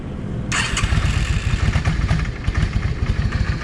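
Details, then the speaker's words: Yamaha V Star 650 V-twin, cold, modified drilled exhaust: lumpy idle with sharp irregular pops and cracks from the front (number one) cylinder exhaust; owner suspects a clogged or undersized front idle jet leaving it lean, with bluing on the front pipe; runs okay once warm. "Okay, that backfire is on that number one number one exhaust or the front exhaust. Anyway, the way it's doing, it's telling me that uh that idle jet is clogged."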